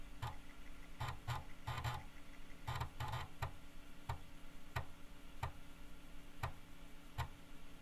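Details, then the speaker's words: Teac FD-55GFR 5.25-inch floppy drive via NEC UF0001 USB controller and 26-to-34 pin adapter, booting from old floppies: quick head-step click bursts then evenly spaced ticks over soft spindle hum; normal seek and read. "you could see that this good old drive uh hooked up to the the usb controller plugged into the computer it could read write stuff boot you could copy files still works"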